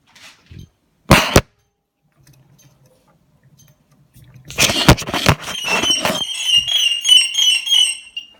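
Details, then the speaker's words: Cinestar multirotor setup 7 on attaching the battery: a couple of clicks, then a run of short high chirping tones as the controllers arm and each rotor spins once in self-test; normal power-up self-test. "soon as you think that the battery will do a self test and each of the rotors will just spin once just to show they're all fully functioning"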